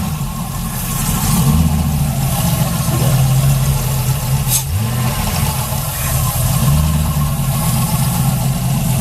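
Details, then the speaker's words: Camaro with a junkyard 5.3 V8 (stage 2 cam, headers, 92mm throttle body) that shut down during a burnout, started cold in the mid-30s °F: deep, even burble with a slightly raised cold idle that rises and settles, no knocks; sounds okay. "doesn't sound too bad it's still pretty cold yeah it doesn't even start warming up yet"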